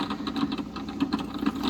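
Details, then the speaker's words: Aquatop CF-500UV aquarium canister filter just cleaned and rehooked after a water change: gurgling, splashing water pulses over a soft pump hum as it primes and settles into normal running. "You've got clean filter media now. It's back on the tank and up and running."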